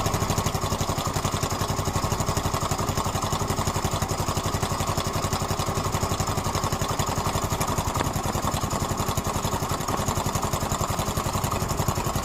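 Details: Yamaha Mio M3 scooter engine at idle with fast, even light ticking, about four a second; owner asks whether it is the valves, cause unconfirmed.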